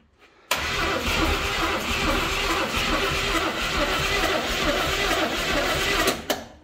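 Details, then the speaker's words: Burnt 1973 Chevy Nova, abandoned about 30 years and recently caught in a barn fire: fast, even starter churn with a booster pack for six seconds, never fires. Spark confirmed good. Suspected flooding; plugs later found very wet. "I think we're just flooded. Let's pull our plugs and take a look."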